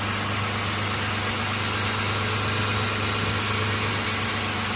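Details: Mitsubishi Nativa/Pajero V6 that cranked without starting for almost two years, running after the timing belt was reset to TDC. Smooth, even idle with a steady hum and no stumbles, misses or tapping. Normal idle.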